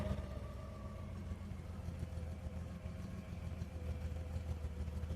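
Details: Pre-production 1966 left-hand-drive Ford Zodiac MkIV, one owner and totally original: smooth, even low rumble at steady idle in neutral with no ticking, knocking or rattles, strong oil pressure and a fluctuating ammeter. The engine sounds healthy.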